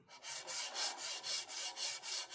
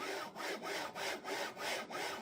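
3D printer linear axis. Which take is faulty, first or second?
second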